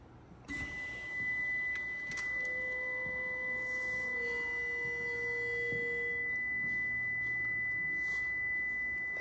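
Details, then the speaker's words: Prevost bus (Marathon conversion) brake warning alarm: steady high-pitched electronic tone in quiet cab after parking brake released; goes off whenever brake pressed or parking brake released. "okay that warning sound the alarm is very annoying it's coming from this we looked at the diagram on it it anytime you step on the brake it goes off or if you have the parking brake released it goes off"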